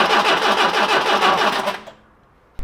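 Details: 1982 classic barn-find car that sat for years, on its first start attempt: the starter whirs steadily for under two seconds, never catches, then stops with a clack. No spark was noted, so ignition is suspected.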